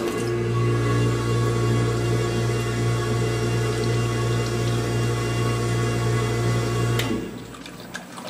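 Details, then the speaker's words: Tormach PCNC 1100 mill coolant pump: a low steady motor hum with a faint pulsing churn, then it cuts out; the pump runs but gives almost no flow or pressure even with the valve fully open. "I don't think it sounds very healthy and I'm getting no pressure that that's like nothing"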